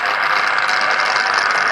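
Constant crackling hiss with a frying edge and no engine or speech behind it; sounds like arcing or tracking inside the switch. Cause suspected, not confirmed.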